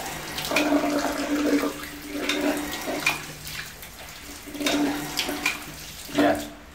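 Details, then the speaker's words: Household water pump running steadily with the tap opened half then wider; steady low hum, no rapid clicking or on-off cycling, holding pressure smoothly. Roughly the same result as after the air was let out earlier. "Ya, kurang lebih hasilnya sama dengan ketika udara dari sini tadi saya keluarkan."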